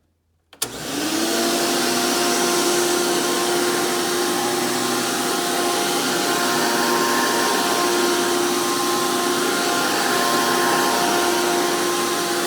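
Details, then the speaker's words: A 2002 Hoover PowerMax II U5246-940 upright with a 12 amp motor, after motor work, spins up to a loud, steady high whine with no rattle or surging. It is running normally; these 12 amp motors are known to be the noisiest. "And since this one has the 12 amp motor, even though they are known to be the most powerful, they are also known to be the most noisiest of the Elite motors."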